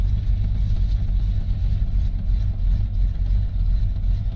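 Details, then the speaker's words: 1979 Chevy K10 cold start at about zero degrees, hood open, no tachometer: rough, uneven low idle with a lumpy, stumbling beat as the cold-blooded engine loads up with fuel at idle. "clear it out because it's loading up now when you're trying to listen to see if the trucks loading up and that blower motor is making all those noises i had to open the door"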